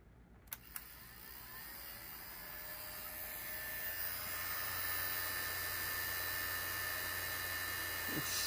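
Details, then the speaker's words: HP 8116A function generator after replacing loud original Buhler fan with new 2-wire fan, first power-on: steady fan hum with fast even ticking around 220 per minute; blade brushing against loose wiring, to be tidied. "I think the wiring is is hitting it yeah I was like why is that's brand new it's hitting the okay I just got to fix up the wiring a little bit because that's what it's it's just brushing up against it"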